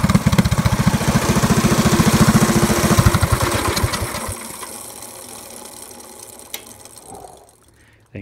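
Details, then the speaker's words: Predator 212cc 6.5 hp go-kart engine after intake, exhaust and carburetor jet upgrades, on a jack stand with one wheel spinning free: loud crisp exhaust popping at a steady even beat for about four seconds, then winding down, running healthily. "all right guys she started right up if you can hear me um it's getting late it's really eff and loud and I love it"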